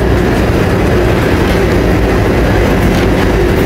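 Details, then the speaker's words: Samsung dryer running after replacing the bad fan belt pulley bearing that caused an uneven thumping noise; loud, steady, even rumble with no squeal, chirp or grinding, noise gone. "Okay na siya, wala nang ingay kasi okay na yung bearing nya."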